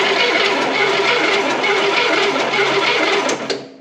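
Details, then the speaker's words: 1971 Cadillac Eldorado 8.2 L 500 cu in V8 barn find, rat-damaged coil wiring: starter cranks in an even rhythmic churn but no cylinder catches; spark test shows zero spark; crank no start. "having a couple issues not really firing too much crank it crank it zero spark zero Spark"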